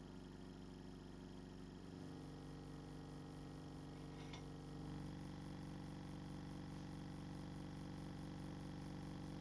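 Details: Scrapyard compressor: steady low hum picks up after a couple of seconds and runs even with a light regular pulse; pumping up normally.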